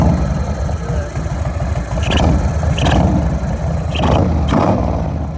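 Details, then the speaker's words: 1997 Harley FLSTF with a newly installed Lectron carburetor, idling on the stand: a short, sharp chirp with each throttle blip over a loping V-twin idle; the chirp is also loud while riding, and the cause is not confirmed. "okay now that's one thing to chirp when i'm sitting here flipping the throttle at an idle well on the stand but when i'm driving down the road it's pretty loud and pretty damn annoying"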